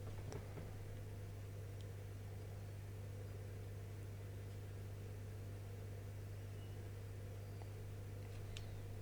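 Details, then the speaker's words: Asus S330U laptop, previously dead from a shorted capacitor, powered after repair drawing 2.3 amps as Windows loads: quiet, steady low hum with soft airy hiss that never changes; fan spinning smoothly and healthy. "the fan is running. And we have picture, yes. We have Windows loading, 2.3 amps."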